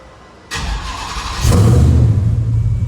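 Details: First start after installing a new fuel pump to fix fuel pump problems: the starter catches and the engine fires into a steady low idle with a nearby fan whirring over it; it starts and runs fine, though the fuel pressure regulator reading of 54 needs raising.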